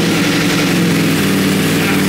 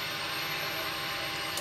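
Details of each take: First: Wrecked 2020 Ducati Panigale V4S on its first start, in neutral with no throttle attached. The V4 catches with a pop and fire, then a rough, lumpy idle with smoke; the owner hears a backfire and suspects fuel burning off the engine. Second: Wrecked 2020 Ducati Panigale V4S being rebuilt, with a damaged fuel tank. After an earlier fuel leak, the pump is primed again: a steady high buzz for about 1.5 seconds, then a clean cutoff. Normal priming, likely just filling the system, and no more leaks.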